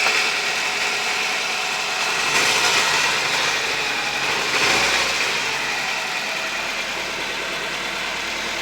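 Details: 1997 Nissan Almera/Pulsar N15, GA14DE, about 162k km, revived after about 9–10 years sitting. It idles evenly on all four cylinders with a couple of rev blips; a coolant leak remains.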